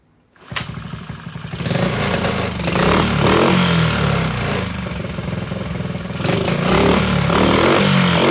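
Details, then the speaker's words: Honda SL70K1 with a refitted CT70-style high exhaust, a new clutch cable and oil topped up, with no proper tank fitted yet: the small single revs unevenly, hunting and stumbling with throttle changes. Owner says the carburetor really needs removing and cleaning. "[Music] that carburetor really needs to be taken off and cleaned"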